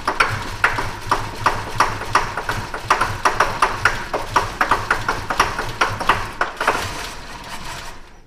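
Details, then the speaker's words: 1977 Chevrolet C10 after a broken rocker arm and valve lash adjustment, idling: sharp light ticking two to three times a second over a steady low idle; owner suspects a lifter or rocker on one side, not confirmed. "I know I'm alone sounds like the lifter on this side or the rocker or something"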